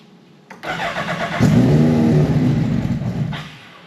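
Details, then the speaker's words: Stohr race car engine, newly assembled with MoTeC dash, ECU and PDU on CAN bus, catches and revs roughly for about three seconds then dies; the unplugged barometric pressure sensor stops it running, with an oil leak also present. "But beyond that, the reason the car would fire and not continue to run was for two reasons."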